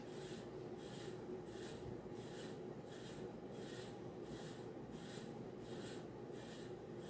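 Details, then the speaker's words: 52" Banvil Emperor ceiling fan on variable speed knob, reverse only, at high speed: scratchy rubbing from bad bearings, with a slight wobble. "you can see the wobble as well yeah so it does have bad bearings uh you can hear the bearing noise"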